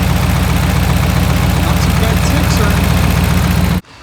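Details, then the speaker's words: 2010 Dodge Ram 1500 5.7 Hemi (described with a lifter/cam issue), first start after fresh oil and coolant: V8 idles evenly with a steady deep pulse, no ticking, purring but loud from the broken exhaust; healthy. "It's ready to start. All right, let's see what it does. It's purring. Kind of seems loud."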